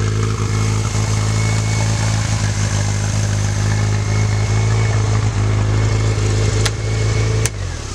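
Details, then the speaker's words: Handmade mini Skyline kart with mid-mounted AP 1.8 carbureted engine, after replacing a melted battery positive wire: steady, deep idle with even low beat and slight speed rises; healthy engine. "Deu certo. Substituir o fio e o carro já tá ligado."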